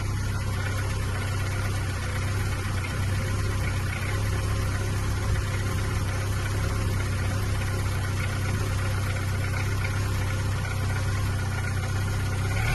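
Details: VW Golf Mk3.5 cabriolet, after crankcase breather pipe work, chasing a vacuum leak before MOT: steady low idle with slight wavering hum, no knocks; split or holed hoses suspected of leaking air.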